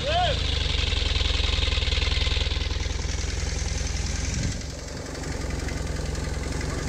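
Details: 1997 BMW R1100RT, non-start caused by a dead battery, now charged and jump-started: starter whirs briefly, engine catches and settles into a steady, even idle with no misses; normal start.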